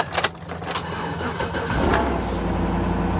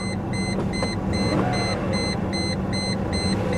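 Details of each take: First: Mercedes W140 S420 V8 at salvage auction jump-started with a battery booster: starter cranks briefly, engine catches and settles to steady even idle with low rumble; runs, though gauge then showed zero oil pressure; normal engine start. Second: Mercedes S420 W140 salvage car, jump-started with a booster pack, A/C on but blower not working, no gauges: a rough, uneven V8 idle misfiring badly, with a steady warning chime beeping.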